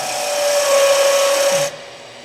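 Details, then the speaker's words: Skew chisel on a wood lathe turning a simple leg between centers: a steady high squeal rides over the cutting rasp because a deeper cut puts heavy force on the bevel. "Uh but that's because I'm taking a deeper cut and trying to get rid of wood and it's putting a lot of force on the bevel."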